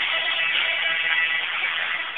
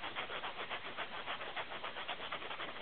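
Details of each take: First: Old tape-recorder speaker fed from a computer sound card after both nuts were retightened together, so the voice coil no longer scrapes the magnet. Guitar music plays clean and fairly loud with no scraping, rattle or buzz. Normal speaker playback. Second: Tape-recorder speaker after its rear nut was unscrewed and refitted, recorded close up on a phone: a scratchy rubbing repeats three to four times a second for about three seconds, then stops. The voice coil is scraping the magnet.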